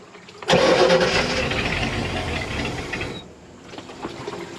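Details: 1986 Shamrock 20 boat, Ford 302 V8 not started in three years: about three seconds of steady cranking that never catches or fires; crank no start, carb bowl dry, starving for fuel.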